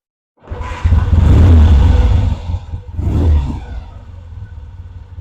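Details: Vintage British motorcycle rebuilt from boxes, second first start with the carburettor pilot circuit now working properly: fires almost immediately, blips twice, settles to a steady low thump; easy, normal start.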